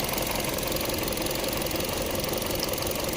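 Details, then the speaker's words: 2014 Chevrolet Sonic 1.4 with P0171/P0106, MAF sensor ungrounded at idle, key cycled: uneven lumpy idle, irregular pulse about two beats a second; engine runs bad, grams per second high, mass airflow sensor suspected bad. "let's see what happens when we on ground this here we go I may have to cycle the key try cycling the key look at our long term there it goes I hear it running bad"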